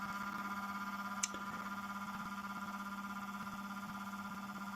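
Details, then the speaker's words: Even buzz and higher steady tone with faint pulsing during rundown of a 24-segment magnetic rotor with canopies on, held back by cogging. Owner suspects the nanocrystalline shims are oscillating with magnetic flux. "that noise is the um shims it's it's the nanocrystalline material that's oscillating with magnetic field flux lines"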